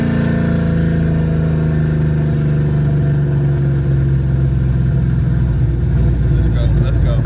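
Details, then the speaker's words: 1967 Plymouth Valiant, carbureted (no EFI): after realigning the carburetor gasket, refitting the air cleaner, tuning the idle mixture screws and adjusting fuel pressure, the engine pulls evenly through the revs with a steady, clean note and no stumble or misfire; running smoothly. "i tuned the idle mixture screws and adjusted the fuel pressure and it's running a lot smoother now"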